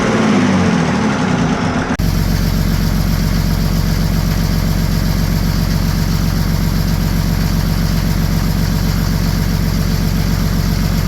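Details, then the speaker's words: OM603 Mercedes diesel swapped into a Ford Ranger (Doomsday Diesel adapter, Ford ZF5), first start, warming up, showing good oil pressure: a brief loud start, then a steady, even idle with a low clatter and no knocks; normal idle. "all all right that'll do it for this video we got her all running everything's good"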